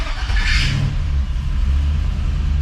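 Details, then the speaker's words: LS-swapped square body 3+3 V8, cold start on a Holley Terminator X that is still learning, alternator not yet charging; fires instantly into a deep strong rumble and hunts slightly as it settles. Normal cold start. "Fires right up. Still learning its parameters a little bit, so it hunts a little bit on startup."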